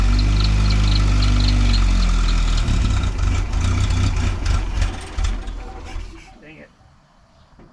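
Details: 1953 Willys CJ3B stored in a shed for years, cranked on dirty 2-year-old 10% ethanol fuel with fuel pressure confirmed: steady cranking about four beats a second with brief catching, then it dies; turns over but won't fire.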